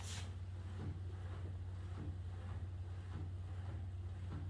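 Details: Sole E-25 elliptical running: dull clunk repeating about every 0.6 s, once per revolution, over a low steady hum, coming from the front flywheel casing; unit leveled on carpeted boards and shimmed, adjustments haven't fixed it.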